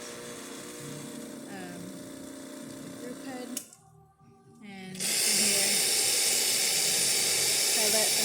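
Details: Pasquini Livia espresso machine after pump and anti-vibration foam replacement and deep clean: hiss of hot water through the group head, a pause, then the new pump kicks in with a steady high hum; flow and pump normal.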